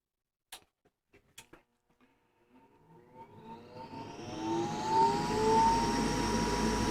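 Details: Goodman furnace with pressure switch fault, inducer motor run after reconnecting the pressure switch hose: a few clicks, then a rising whir settling into a steady, even hum; status light stays steady, inducer running normally.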